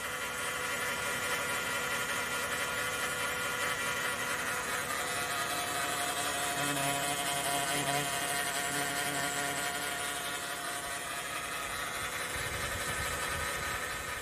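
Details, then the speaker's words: 2014 Chrysler Town & Country, 3.6 with 62TE transmission: thin, steady whine above the engine note holding its pitch, transmission pump whine, fluid not being pumped through; fluid and filter service planned first, rebuild possibly needed. "you have the transmission pump whine, that means the fluid's not being able to be pumped through your transmission."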